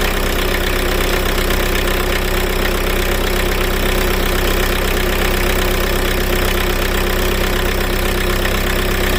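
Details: Car running after a start on a Lidl jump starter alone, with the battery positive terminal disconnected: steady, even idle with a firm regular beat and no misfires. The engine is idling normally.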